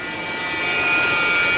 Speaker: Okay, so that buzzing sound is my alternator, and it's the part that's hooked onto the fan belt.